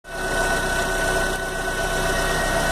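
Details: 2011 Fiat Palio 1.4 at idle: a constant high whine over the engine hum that never changes pitch, a pump-type noise from the front; owner identifies the oil pump as the cause, unconfirmed. Engine whine at idle.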